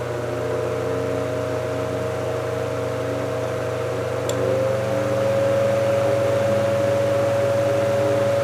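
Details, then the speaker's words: 1949 GE Vortalex 12-inch desk fan after repair, run from low up to speed three: smooth steady motor hum with a faint whir rising as speed steps up. The coil buzz and blade wobble are gone; only slight vibration remains. "I'm very glad to have gotten the um the vibration out of the It does vibrate a little bit, but not like it was. And I'm glad that I was able to get rid of the coil buzz"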